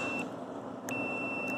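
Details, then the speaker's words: Bridgeport Model 6F power feed switch, continuity test from common: steady high beep when the switch is released, silent while held in; switch contact good, working correctly. "i'm holding the switch in and it's not making contact which is correct let it go and it makes contact that's fine"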